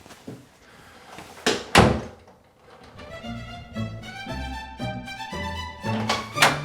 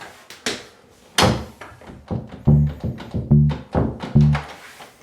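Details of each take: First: House door after bending the strike plate latch tab to about 30 degrees to fix a rattle: a couple of solid, clean thunks with no rattle after them, music playing over the top. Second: House door shaken after bending the strike plate tab with a flathead screwdriver: loose hollow knocks, the latch still rattling from too much play.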